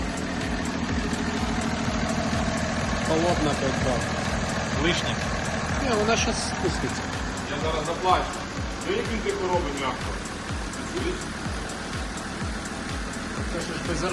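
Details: BMW F10 with an N57 3.0L diesel at 200,000+ km, first start after servicing with a new valve cover and breather hose. Soft, even, smooth idle with no tapping or knocking.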